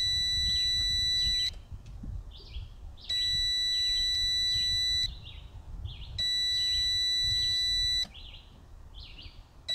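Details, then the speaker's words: Outboard kill switch circuit tested with multimeter on kill wire to remote control, key on/off: steady high beep one to two seconds, cutting cleanly; continuity good on both sides, kill switch circuit works. "so the kill switch circuit works fine it's working fine on both sides"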